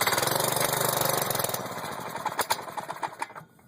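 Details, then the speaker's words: Small single-cylinder engine in a junk buggy revived after a fire, running on old gas through a carburetor taken off a Craftsman lawnmower. It fires and chugs briefly, then sputters out within seconds. Fuel starvation. "nothing that sounds like it's not getting much gas so I guess we will have some kind of video"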